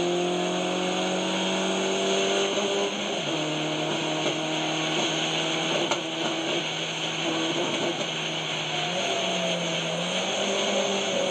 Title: Misfire x1